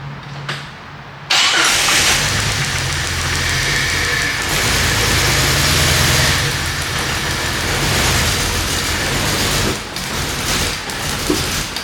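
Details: 1998 Jeep Wrangler 4.0L inline-six, sputtered and died at a stoplight, then crank-no-start; spark and injector signal present, two cylinders disconnected for testing: catches, runs loud and uneven, then sags away.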